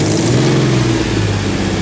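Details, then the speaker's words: Nissan 300ZX after swapping back to the stock intake, on test drive: loud smooth engine note holding a steady low drone under throttle, no misses or hesitation; no longer lags, pulls cleanly and sounds much better. "This shit sounds good. It sounds way better now, I'm not gonna lie."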